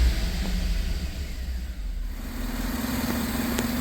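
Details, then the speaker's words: Chevy 5.3 V8 idling after DOD/AFM delete with new lifters, guides and cam, reflashed with deactivation codes disabled, good oil pressure: steady even low rumble with no ticking; the earlier lifter tap is gone. "doesn't sound too bad now whole lot better than that Tippy tap tap that was going on"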